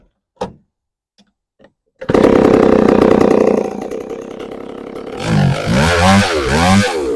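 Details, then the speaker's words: ProMac 605 chainsaw after installing a new carburetor (old one petered out): catches after a few pulls, holds steady high buzz, bogs and recovers while cutting; chain may need sharpening; normal running. "but it runs it it stayed running until I shut it off"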